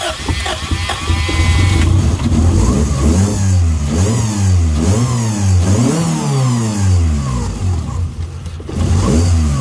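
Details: 1999 Honda Civic DX (EK) just started after a timing belt and tensioner replacement. Revs hunt up and down and need throttle blips to keep running. The unstable idle is attributed to a bad idle air control valve (IAC).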